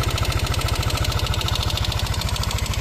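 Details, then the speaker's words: Yamaha NMAX scooter engine at idle: a fast, even light metallic tick-tick that resonates through the exhaust. It is suspected to come from the valve rocker arm or camshaft; the cylinder head is to be opened. "Dilihat dari suaranya, sepertinya berasal dari lengan rocker katup atau poros bubungan. Suara tersebut beresonansi melalui knalpot."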